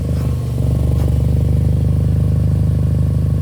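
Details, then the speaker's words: Mk4 Golf GTI 1.8T, first heat cycle after repairs: loud, throbbing idle with a puffing chuff on each pulse; the exhaust is still blowing at the gasket, with smoke coming from it. "The exhaust is loud. Let's have a look around the fitting. Does still sound like it's blowing."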